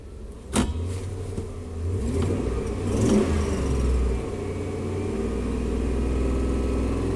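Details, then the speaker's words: Chevy 3500 dually pickup after battery replacement and throttle body cleaning (throttle angle dropped from 17 to 9); starts, revs briefly, then settles to a low steady even idle around 640 rpm with no stumble or hunting; problem fixed. "Eight. 640 RPM. So now that's a fix. Battery replacement and throttle body cleaning."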